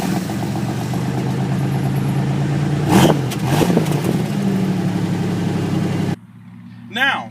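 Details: Oldsmobile Cutlass Supreme (G-body) with factory Buick V6 at 203,000 miles: fires and settles into a steady, even idle with one quick blip of revs; no knocks or ticks, runs fine.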